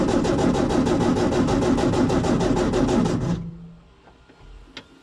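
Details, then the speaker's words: Baja engine after fuel system repair, spark confirmed; even starter cranking at about three compression beats a second, nearly runs but never catches, crank no-start from fuel starvation, and it ran once fuel reached it. "Ooh, and it nearly ran too. All right, let's give it another go, mate."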